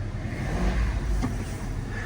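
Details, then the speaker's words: 2001 Toyota Land Cruiser 4.7 V8 at an auction, cold start in 19° freezing air with wind: a deep, even rumble swells briefly and then settles to a smooth idle. The engine sounds good, a normal cold start idle. "sounds good 4.7 okay freezing"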